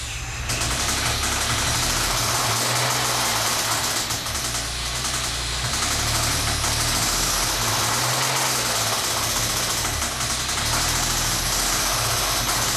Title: 1998 SVT Contour bad rod bearings.mpg